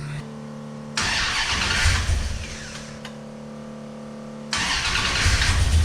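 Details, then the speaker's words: 1971 Plymouth Road Runner 440 big-block V8, stone cold and unstarted for a few months, timing issue (initial showing over 40°): catches after short crank, settles into steady even lope, idling about 1000 rpm with good oil pressure; normal cold idle. "sound bad about that. Really needs to warm up. been stone cold and hadn't started in a few months."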